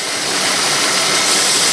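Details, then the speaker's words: 2001 Buick LeSabre that started missing: steady airy hiss over a faint idle, a vacuum leak found at the EGR, where the O-ring was rolled and a tab broken. "I don't know if you can hear that hissing noise I I didn't notice that before but I sure hear it now looks like I've got a bit of a vacuum leak there"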